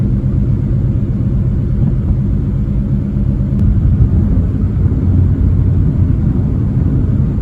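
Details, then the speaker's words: Car with suspected failing catalytic converter, climbing a hill in fourth gear at 35 mph and 1500 rpm while accelerating: deep, steady exhaust rumble builds evenly under load with no stumbles or misses; engine pulls cleanly. "Starting the ascent now. I'm in fourth gear, 35 miles an hour, 1500 RPM. We're actually accelerating here. No misses."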